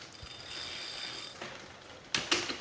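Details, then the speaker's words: Recumbent trike mounted on a Wahoo KICKR Core with the chain deliberately misaligned toward the inside: a rattling, ratcheting chatter as the cranks turn, ending in sharp clanks as the chain rides off the cog. "You can kind of hear that noise when I turn. It's not quite optimized. It's not quite efficient."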